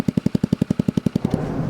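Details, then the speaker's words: Ruckus scooter with a free super-shorty exhaust, its broken weld temporarily repaired after the bracket was removed: crisp, evenly spaced pops at about ten per second, steady and clean, then revving. Healthy exhaust note. "Alright, for a super shorty exhaust, this does not sound that bad."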